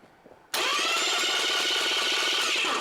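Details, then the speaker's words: Starter after removing shims to move the pinion closer to the flywheel: spins up cleanly with an even, steady whir and quick regular pulses, no grinding; proper pinion mesh, normal cranking. "and it sounds a lot better."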